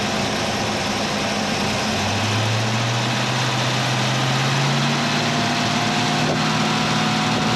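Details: 351 Cleveland V8 in a 1979 Mercury Capri, idling after the stuck distributor was freed and timing reset (about 10° initial, 32 all in) for hot hard-starting: steady, even idle with low smooth rumble, no misses or knocks; normal idle.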